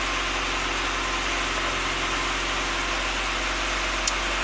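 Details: 1993 Saab 9000 CSE Turbo at hot idle: fast, even idle around 1,400 rpm that never settles, steady hiss on top, throttle almost stalls when punched, check engine code 5 (TPS signal suspected), suspicious aftermarket wiring; cause not confirmed.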